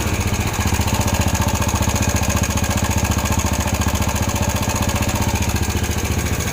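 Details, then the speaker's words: Yamaha Jupiter Z at idle before repair: fast, steady metallic clatter about four ticks a second over the engine beat; loose, slack timing (cam) chain rattle needing replacement. "jadi ya seperti inilah suara raneng jika sudah mengalami kendur pada motor Jupiter Jet atau yang sejenisnya seperti sekali lagi PK dan Krypton"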